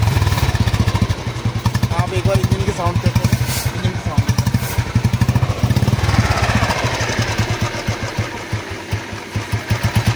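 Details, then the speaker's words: 2008 Royal Enfield Bullet 350 (old model, gears on the right side), self-started and idling: slow, even single-cylinder thump, no knocks, ticks or rattles; the owner says there is no engine noise; normal idle. "Engine में बिल्कुल भी sound नहीं हैर से आवाज आ रही है इस model में यही खासियत है"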